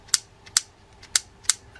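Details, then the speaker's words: Quantum XR6 Long Cast spinning reel, spring reinstalled after bail trip service: four crisp metallic snaps as trip ramp pushes it back and bail arm fires; trip working properly. "Okay, we've reinstalled the spring, and now you can see it's going to load in, the trip ramp is going to push it back and allow the bail arm to fire on the other side."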